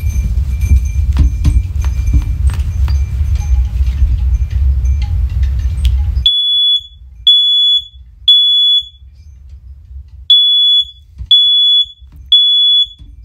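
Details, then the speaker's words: First Alert OneLink hardwired smoke alarm, the grandmother's unit, a hair quieter than the third-generation unit: after low rumbling, a piercing high tone in groups of three short beeps with pauses; tests normally. "now this one is actually uh i think it's a hair bit louder i think but i think the pitch is just a tad lower"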